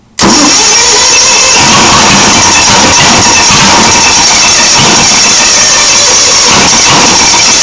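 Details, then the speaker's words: Onan engine after a new 12V motorcycle coil and wires, with spark and plugs in, unprimed: loud, steady cranking with only the odd weak catch. Seems only one cylinder fires. Cranks but won't start, cause unconfirmed. "sounds like only one cylinders firing okay it's got fuel it's got fire it's got air it's got compression okay but is it getting enough"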